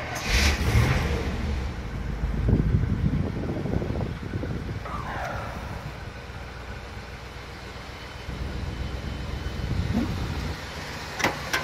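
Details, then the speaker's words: 1986 Chevy K30 with Turbo 400 transmission and stock exhaust, rarely driven two years, cold start: catches with a quick rev, then holds a steady slightly high even V8 idle with no misses; normal cold fast idle. "Idle probably seems kind of high, but again, it's a cold start."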